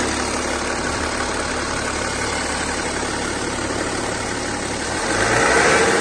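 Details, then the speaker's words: BMW X5 F15 3.0 diesel, 300,000+ km, on a lift, started to demonstrate: steady low drone and hum over rushing noise from the used replacement front differential; oil had metal shavings, ring and pinion damaged, bearings intact. "сейчас мы будем автомобиль заводить и демонстрировать Вам гул редуктор"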